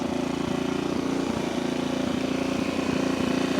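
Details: 1964 Honda C200 single, revived after sitting for years and just back from its first ride: it putters quickly and evenly at about three beats a second, a bit fast for idle; the idle needs turning down.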